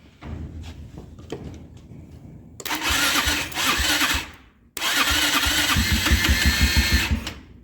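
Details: Kymco Mongoose 250cc liquid-cooled CVT quad, abandoned for years with the engine left open, started via the starter solenoid with air filter off: two short bursts that fire and rev unevenly then die; starts then stalls, needs more help.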